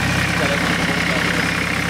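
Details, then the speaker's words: Massey Ferguson 1010 tractor diesel with a newly fitted fabricated radiator, slightly leaking water: steady, even idle chug with a constant low throb and no knocks or misses; running smoothly. "all right it's running I'm running good it's just a cold-hearted beef"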